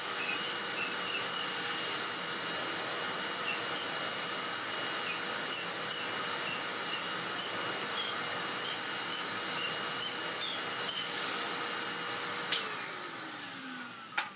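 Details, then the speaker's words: Restored 2001 commercial Karcher K5200 cylinder vacuum with new paper bag, test run after restoration: smooth steady high whine with even airy rush, no rattle, winding down at switch-off; motor running healthy. "Oh, it's a very familiar sound off this forehead. It's lovely."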